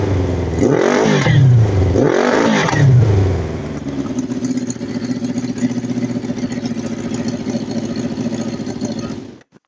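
Two sharp revs, then the idle drops to a choppy pulse near four per second with stumbles: a misfire shows at idle.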